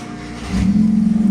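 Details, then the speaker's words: VW Touran, original 2.0 diesel swapped for a 2.0 petrol engine, DSG automatic retained: engine catches after a brief crank and settles into a steady, even idle with a clean low hum; healthy start. "Барлығы жақсы істеп жатыр. Моторның дыбысы да әдемі. Алдырып көрсетем."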